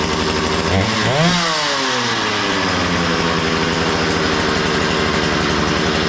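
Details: Makita DCS 6401 chainsaw, unused for 10 years, after a new plug, fresh fuel and a cleaned tank and fuel filter: catches, blips and settles into a steady even buzz with no misfire; runs well, though the kill switch doesn't work.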